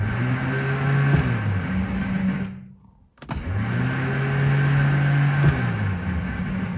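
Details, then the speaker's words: 1970 Morris 1300 (ADO16) barn find with the ignition bypassed: when hot-wired and tapped, the starter gives two bursts of steady electric whine but never engages or turns the engine over. The starter is to come out for bench inspection; cause not confirmed. "Sounds like it's not engaging. Nope, it doesn't want to. I've tapped on it while also hot wiring it over here. It does spin, but it doesn't engage out."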